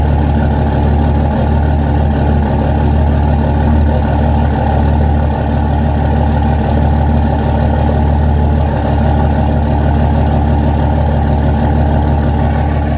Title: Possible bad injector #33